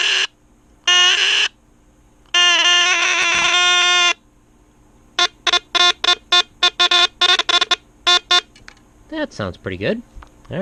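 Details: 1963 Lionel Alco FA 218 Santa Fe toy locomotive, C-cell battery horn that was out of adjustment: a loud raspy buzz held a second or two, then quick short blasts. The horn sounds strong and clean.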